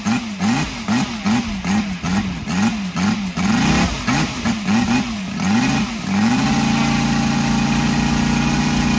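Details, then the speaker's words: Brand-new Saito FG-73 five-cylinder radial, fully upgraded with Morris Mini Motors hardware and exhaust ring, on a Biela 20x10 four-blade prop (600–5500 rpm): rise-and-fall throttle blips, then smooth steady high drone with no misses; starts easily, normal running. "yep very happy okay as you can see uh engine starts lovely and very easily as well"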